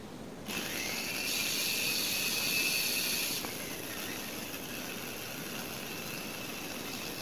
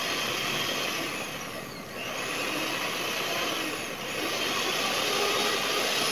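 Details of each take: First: Knockoff Philips hand mixer that runs rough: a high steady motor whine drops to a lower speed after about three seconds as the rotation drags, with heavy commutator sparking. The brushes sit poorly against the armature seat or are pressed too hard. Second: Knockoff Philips hand mixer that had run rough, tested after a glued repair: smooth high motor whir that dips briefly twice and recovers, with no rattle or shaking like before; it now runs healthy.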